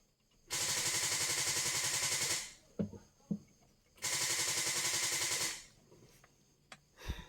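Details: Car that has not started for over a week fails to start again: two bursts of fast, even clicking, about two seconds each, with no engine catch.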